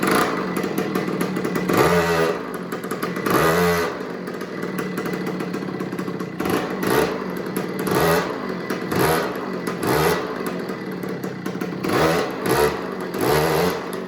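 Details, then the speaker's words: Old Italian-made 50cc two-stroke mini MX dirt bike, first start after fitting the spark plug, idle turned down: crisp buzzy blips returning cleanly to a steady idle, runs a little better; normal running. "all right so I turn the idle down now it runs a little better"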